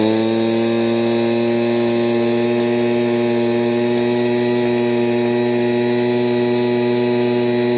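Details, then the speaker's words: Echo PB230LN older handheld two-stroke blower at full throttle, tach reading 7330 rpm against the manual's 7000–7400 spec, after carb kit with new fuel pump diaphragm; steady high-pitched scream held flat without surging or dropouts; max throttle right on spec. "Let's hit the high reading. It was 7330. Beautiful. So, the RPM from the Echo manual is right on."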